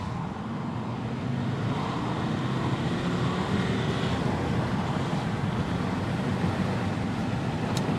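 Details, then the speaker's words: Alfa Romeo 159: wide-open throttle from about 20 mph, engine note climbing smoothly, no flat spots; normal acceleration, owner believes fixed. "A lot less of a dead spot down there at 2,500 RPM now."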